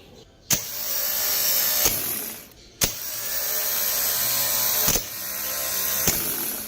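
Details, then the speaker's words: Starter motor bench test, powered from the battery positive with the BAT and Start terminals bridged by a screwdriver. Three sharp clicks as the bendix engages, each followed by a clean, steady high spin. The starter is working properly. "V nuestra prueba salió bien sale nuestro bendix hacia adante y gira entonces podemos decir que nuestro motor de arranque está bien"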